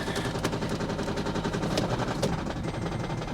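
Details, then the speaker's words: Vehicle at auction, cold start: loud uneven knocks three to four per second over a rough shaking idle; suspected driveline vibration, source unknown. "I know it sounds really bad but I had one of these and it did this I never figured out what it was but it would stop you would have to rev it up and it always did it when it was cold"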